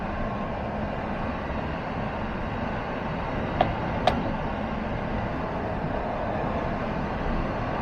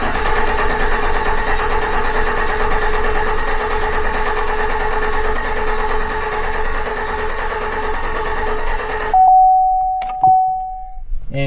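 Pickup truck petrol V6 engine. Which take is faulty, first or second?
second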